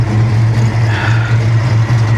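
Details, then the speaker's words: Supercharged (Powerdyne) 347 stroker 1994 Ford Mustang GT at idle with about 80 psi oil pressure: deep, steady, smooth burble with no misses or knocks, owner says it purrs; normal idle. "oh she sounds so good listen to that thing purr it's literally music"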